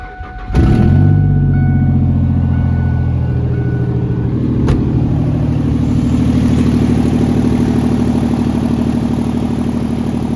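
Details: 2003 Ford F-150 single cab, freshly swapped-in replacement 4.2 V6 (old one had rod knock), cold start after resealing intake: catches at once and settles into a smooth, even low rumble with no knocks or misses; healthy normal running.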